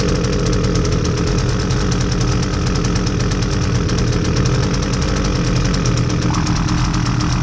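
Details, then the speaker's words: Husqvarna 326LD string trimmer, owner says low on power and not running right, fresh fuel, air filter missing: engine chugs rough and uneven, stumbling and never settling; poor running from a stiff carburetor metering diaphragm. "okay so that didn't run very well and on top of that there's no air filter in it"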